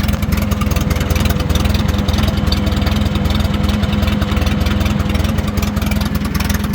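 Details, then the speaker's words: Case 310 gas bulldozer, thought to be late 1960s or early 1970s, just over 2,800 hours, sat a while and now on fresh gas: a steady even low chug at about 2.5 beats a second, no misses or knocks. Healthy idle, hydraulics working. "Everything's working on it. Hydraulics are working. It's running as you can hear it."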